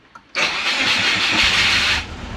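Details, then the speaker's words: Turbo Subaru Forester after ECU update, previously wouldn't stay running; brief crank then catches and holds a rough but steady idle, transient throttle setting misbehaving; cause found to be timing: normal engine start. "Well, it's a bit all over the place, but transient throttle is being silly again."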